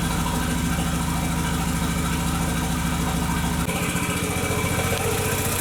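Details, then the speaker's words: 2001 VW Jetta Wolfsburg 1.8T (180 engine), non-running project with a suspected harness problem, codes P0300/P0302/P0303, at idle: lumpy uneven exhaust pulse with dropped beats; cylinders 2 and 3 misfiring. "we had misfires on the number two and number three the effect this cars running the other two silvers have to be"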